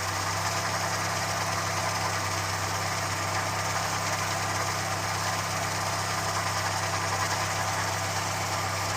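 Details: Ford Fiesta Mk1 petrol, left sitting outside in rain, with developed misfire; plugs, distributor cap and rotor checked, carburettor fuelling turned down, cuts out when air filter pressed: idle with uneven stumbling beat about twice a second and hiss, rough misfire-like running.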